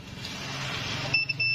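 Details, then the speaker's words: Android set-top box dead, on multimeter continuity across SMD electrolytic capacitor legs: brief hiss, then steady high beep that breaks and resumes after probes reversed; suspected short, capacitor to be removed. "Oke, dia berbunyi. Ini kita akan cabut dulu."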